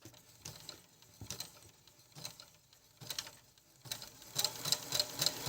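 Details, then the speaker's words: Brother ML-750 sewing machine tested on knit (bi-flex) fabric, stretch zigzag four punctures each way at maximum 7 mm width, stitch length 2 mm: light, even needle ticking about four per second, quiet, no knocks, running normally. "зараз машинку Я тестую на трикотажному зигзагі це чотири прокола вправо чотири вліво на максимальній ширині 7 мм"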